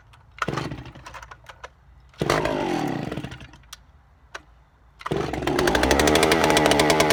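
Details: Vintage Stihl 041 Super saw, a little over 70 cc, started cold; fires, blips a couple of times, then crisp even high-rev buzz with no stumbling, sounds strong: normal running.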